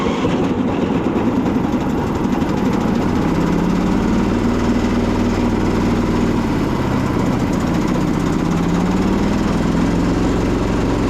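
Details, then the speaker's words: Husqvarna YTH2242 Briggs V-twin before repair, blades rigged always engaged: lumpy, labouring low drone with uneven beat and wavering pitch, like running on one cylinder with a dirty carb; dead cylinder from a bent push rod. "And it basically, it sounds like it's running on one cylinder, and even that is a struggle. Like one cylinder with a dirty carb. That's kind of what it sounds like to me."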